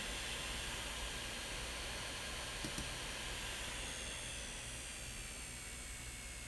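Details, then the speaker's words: MacBook Pro, five years old, right fan manually set high then lowered toward 3,800 rpm: airy fan rush with a low grainy buzz that persists; buzz returns after about ten minutes despite speed changes. "yep it's still buzzing as you can hear let's bring it down to like 3,800 oh"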